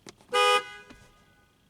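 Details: 2003 Pontiac Grand Am GT after horn and horn wiring replacement: one short honk, about a quarter second of steady, bright, clear tone with no rasp or warble; horn sounds normal.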